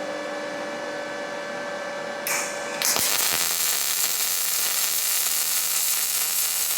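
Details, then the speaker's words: Firstess (Yeswelder) DP200 MIG welder, pulse off, settings adjusted to be less violent: arc strikes into a smooth, soft, even hiss with little crackle; prettier weld but not digging in as deep. "That definitely makes a prettier weld, but you can tell just from the sound that it's not digging in as deep."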